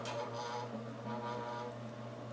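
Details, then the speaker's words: Alaron ceiling fan, suspected failed capacitor: on high it gives a steady low electrical hum but the blades don't spin up; pushed by hand it turns slowly and stalls on low. "so you turn it on you hear it humming medium low off well turn it on high and"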